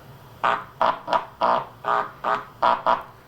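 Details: 1983 Sharp QT12 boombox under repair. Touching two connector pins gives eight short loud, clean 60-cycle hum bursts in both left and right channels. Everything past that connector passes signal normally.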